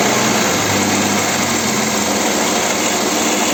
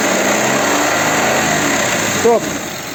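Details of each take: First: Audi Q7 3.6 FSI V6: quiet, stable idle, but revving brings a dense metallic timing-chain rattle from the rear of the engine; only lambda-sensor fault codes; teardown found broken chain guides/tensioners. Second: Audi Q7 3.6 FSI VR6, warm at 88 °C, after repair work: quiet, even running with only a steady exhaust hiss from a leaking muffler, no rattle or clatter as revs rise; timing drive sounds normal.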